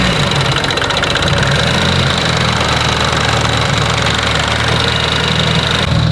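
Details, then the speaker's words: Mitsubishi Evo 8 that made noise during dyno tuning, suspected rocker: a steady idle with a rhythmic knock-like rattle. Valve cover pulled, rockers and lifters fine; the cause was a floppy power steering pump shaft, and the engine is fine. "all right so we pulled the valt cover off rockers were fine lifters were fine thought of something else ended up being a floppy power steering pump shaft so the motor's fine"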